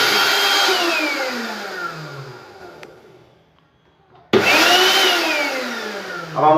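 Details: Mixer grinder from Dubai whose faulty bottom lid safety switch was bypassed by shorting the wires. A high whirring motor spins down and stops, then restarts sharply and runs up to a smooth, even pitch: running normally after the repair.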